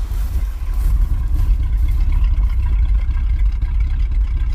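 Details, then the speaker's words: 1980s Chevy K30 Custom Deluxe dually 4x4 dump truck, long parked, first start on replacement carburetor of doubtful condition and old fuel; low, slightly uneven idle rumble with irregular pulses; vacuum leaks and fuel leak present, no smoke; rough idle. "good even with all those vacuum leaks"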